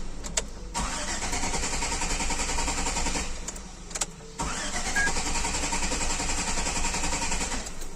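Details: Engine gives two long cranking bursts, the starter churning steadily at about three or four beats a second, but it never catches; cranks but will not start.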